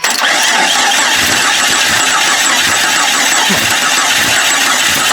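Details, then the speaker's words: Jeep Cherokee 4.0 after four-month field rebuild, first start on battery with adjustable idle sensor removed: starter spins the engine steadily with continuous whirring churn but it never catches because no fuel was in it. "Oh, we ain't got no fuel, dummy. Okay. So, let's put my adjustable idle sensor back in the hole and then let's give it some fuel."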